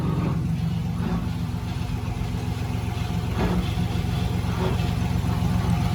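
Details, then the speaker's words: GMC Sierra on lift, running drivetrain with heavy low rumbling drone and rough uneven growl from rear axle; failed front pinion bearing, yoke lifting, leaking fluid; rear axle assembly replaced. "that rear end is shot."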